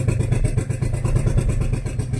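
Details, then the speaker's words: Renault Kwid with late starting, codes 033564/0313F8 and an open silencer. A deep, lumpy engine note with uneven stumbling pulses won't climb even at full throttle. There is heavy misfire and slow pickup, and it stalls when the accelerator is released. "मतलब start हो रहा है लेकिन accelerator छोड़ते बंद। Miss firing accelerator पकड़ ही नहीं रहा है।"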